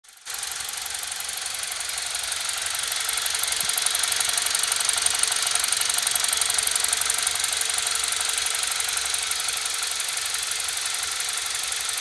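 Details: BMW E46 318i N46B20A at idle with high oil consumption and blue smoke at idle: light, regular ticking about three per second from the intake area over a hissy background; crankcase ventilation (CCV) suspected, not confirmed.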